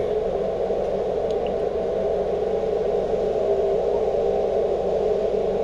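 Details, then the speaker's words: Ham radio, 17 ft whip on van, inverter generator cord fitted with seven ferrite beads: quiet until the AC unit kicks on, then steady hiss, midrange roar and low hum; generator RF interference returns under load. "which is nice and quiet now with the cord hooked up, but once I kick on uh this uh AC unit, it really picks up."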